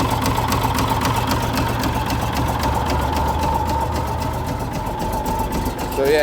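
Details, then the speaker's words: Komatsu D65E diesel dozer, cold start after sitting about two years with a cylinder previously removed by the owner: a steady idle with a regular deep knock at about four per second, suspected rod knock, unconfirmed. "Definitely hear that rod knock, Bo. Didn't even struggle to start, did it?"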